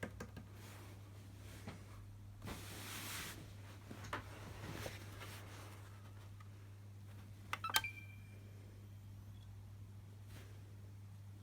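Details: Xbox One S running with a steady low abnormal hum and a few faint clicks and taps.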